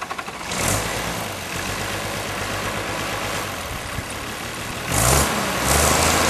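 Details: Unrestored 1955 Allis-Chalmers WD-45 diesel tractor on a warm summer day, already run earlier: steady diesel chug with a couple of smooth rev-ups, even firing, no knocks or rattles; normal healthy running.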